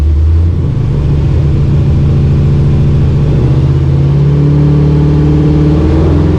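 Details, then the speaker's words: Chevy C10 truck on blocks with a manual transmission, wheels spinning in gear: deep droning hum with a steady low growl; a transmission problem is suspected, not confirmed. "yeah there might be something wrong in that transition"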